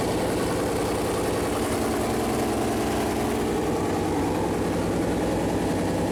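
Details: First fire-up of a freshly built Chevy Performance 454 big-block V8 on a run-in stand: deep, lumpy idle with an even firing beat, steady speed, no knocks or ticks. Normal idle; the plastic oil-gauge line later hit the headers and leaked.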